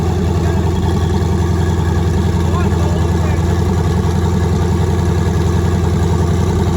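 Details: Nissan 240SX with twin-turbo LSX V8, first start after new turbo setup, out of gear, running on Holley Terminator X wizard base tune, fuel pressure not yet set: loud even V8 burble at steady idle with no stumbling, hitting on all eight; normal idle.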